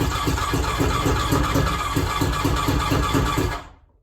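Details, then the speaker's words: 1100 engine after replacing two of three ignition coils in the e-box: chugs with an uneven, lumpy beat of about three pulses a second, then dies away; rough running, cause not yet found. "i just changed two of the ignition coils and on the off chance that this actually works you can tell it's that lumpy pup"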